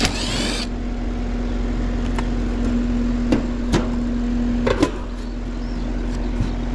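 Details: Residential AC condensing unit on a no-cooling call, thermostat set 67 reading 87: outdoor compressor gives a steady low electrical hum with faint rumble, bumps once as if trying, but never starts; capacitor checked next.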